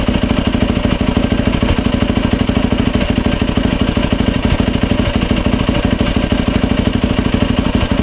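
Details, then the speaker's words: 2007 Yamaha YFZ 450 single after top and lower end rebuild, new water pump seals and impeller shaft fitted to fix a coolant leak at the pump hose; quick, steady idle thump with light valve clatter, no misses or surging. No leaks, running healthy. "No leaks, she runs."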